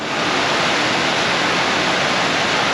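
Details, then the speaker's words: 1995 Ford F-150 replacement blower motor bench-tested on jumper leads from a battery. Smooth, constant rush of air with no scraping, rattle or wobble; spins freely, much better than the old one. "That sounds much better than the last one."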